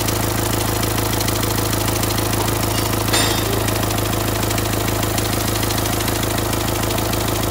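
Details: Renault Symbol about a month after a complete engine rebuild: steady diesel idle with a fast, fairly even light tick, around three per second; a ticking fault inside the engine that was hard to trace and ended up where first suspected.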